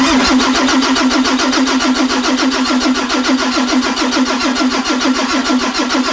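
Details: 2003 Ford F350 with a 2004 Cummins 5.9, freshly rebuilt and bored, with new pistons, rings, injectors, FCA and FASS fuel pump: the starter cranks steadily at about two compression pulses a second, but the engine never catches.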